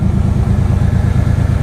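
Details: Chevy K1500 350 V8 with no exhaust fitted, after white smoke (likely moisture from sitting) cleared: loud open-pipe idle with smooth even lope, no skips or knocks; normal idle.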